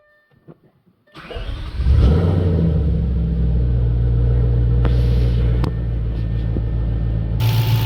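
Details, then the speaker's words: Audi B7 S4 4.2 V8 startup: it cranks briefly, catches, flares, then settles into a smooth, even fast idle with no slapping from the back, suggesting the timing chains should be good. "and that was a startup um as you could hear there was no slapping or anything going back or on back here so that means timing change should be good"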